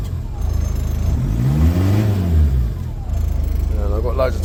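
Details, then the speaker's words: Talbot Express with 2.0 HDI Peugeot DW10RHY diesel swap, original gearbox, 20 psi boost, BMW R70 pump, MR2 intercooler: steady even low idle, revs up smoothly and drops back cleanly, gains boost quickly; not smoky, healthy. "You can see it's not smoky. Little tough. Runs clean as anything. sounds pretty good, too."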